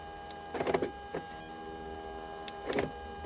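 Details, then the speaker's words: 2007 BMW 328i E90: a thin, steady electrical buzz from the speakers starts on door unlock, not on lock, and continues behind the lock clunks even with the radio and ignition off; source not yet pinned down. "if I go ahead and lock doesn't do anything but when I unlock another buzz starts to happen in the background"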